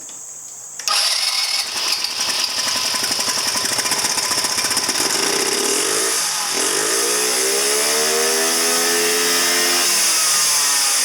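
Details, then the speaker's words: 2009 Genuine Buddy 125 scooter with original fuel lines refitted and a new fuel filter primed: the engine catches, buzzes unevenly, then sags and dies within seconds and won't hold idle. The CDI is suspected bad. "Flowing through the fuel filter too. Will it stay idling? No."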